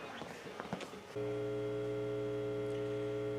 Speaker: y'all hear that buzzing over there i got a fluorescent light over there that just done up and lost its mind one more thing to fix